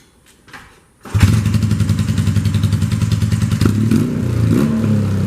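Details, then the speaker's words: 1978 Honda CB400A Hondamatic twin, custom build, first start after fitting a velocity stack, briefly warmed: catches at once, settles into a steady, even twin thump with a brief blip, running clean and healthy; normal idle. "I'm going to fire it up that you hear how good it runs now"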